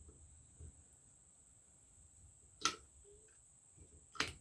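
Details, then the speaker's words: Singer/Studio/Silver Reed knitting machine (SK150) stitch size dial: two sharp, bright clicks a second or so apart as the dial steps through its detent notches engaged by the top spring; normal stitch dial clicking. "and there you can hear it clicking away and this is for the adjustment that you see i s and O we're changing various stitches to my stitches right"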